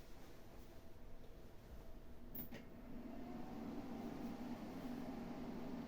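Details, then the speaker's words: Stock Fujifilm desktop PC with 386 MB RAM, connected without a UPS: a soft hum rises and climbs in pitch a few seconds after power-on, then holds as a steady, very loud cooling-fan drone, louder than a PlayStation Pro. "as you can see it's very loud it's is even louder than the PlayStation Pro"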